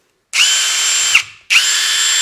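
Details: RIDGID 18V Gen 5 half-inch impact wrench on the new 6.0Ah Hyper Octane Bluetooth battery: two short, even bursts of high, steady buzzing, each under a second, strong and consistent; operating normally.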